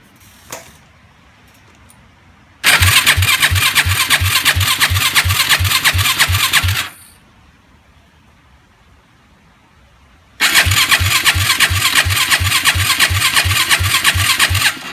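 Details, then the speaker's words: 2006 Yamaha YFZ 450 with new battery and cleaned carburetor that flows fuel fine, earlier seeming fuel-starved: two long cranking bursts, starter chugging strongly about three compression beats a second, never catching; cranks but won't start. "what the issue is it just doesn't want to crank up it turns over pretty fine I don't know what the issues could be"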